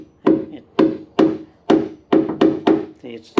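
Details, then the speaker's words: Hammer tap test on a boat's plywood stringer in the cockpit engine area; about eight sharp, crisp taps with no dull thud, showing this side is sound and not delaminated, unlike the nearby patch. "not delimited on the other side very crisp sound so it's just delaminated here"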